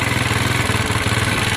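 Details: Honda SH125 scooter, about 68,000 on the clock, warming up at idle: even, steady single-cylinder putter with no knocks, misses or rattles; healthy engine.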